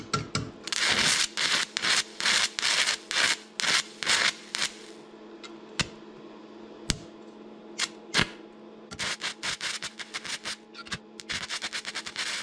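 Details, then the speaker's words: Stick welding T-plates, rod box rated 60–90 A, set at 60 A: short crackling bursts that keep dying out over a steady hum; arc won't sustain, amperage too low, worked at 140 A. "on lootusetu... panen 90 ei tööta... panen 140"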